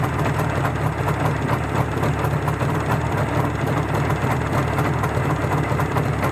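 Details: Izh Jupiter-5 two-stroke with balanced crankshaft, idling after about 2 litres of petrol burned with Rostov pistons fitted; steady, even idle with smooth low burble and no knocking or rattling, the feared piston ringing has not returned; normal idle.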